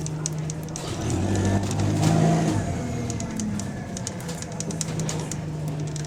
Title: Exhaust Leak | GAL SE152 On Bus Route 386 Part 2 (17)